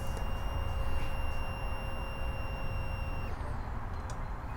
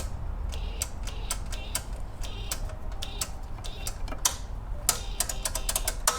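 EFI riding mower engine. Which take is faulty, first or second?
second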